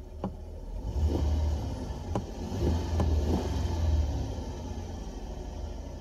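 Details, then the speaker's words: Car with aftermarket speakers and new 4-channel amplifier, engine running: only low engine rumble and faint clicks, no hiss or whine once a wire is pressed against the head unit's outer casing. "now see what happens when I press it up against it boom nothing zero sound coming out of the speakers"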